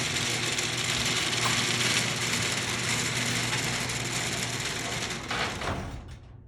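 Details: Genie garage door opener after carriage/latch replacement, which fixed earlier grinding and failure to open: steady ratcheting chain-drive run with even clicking near four per second, then the motor winds down and stops. Normal operation.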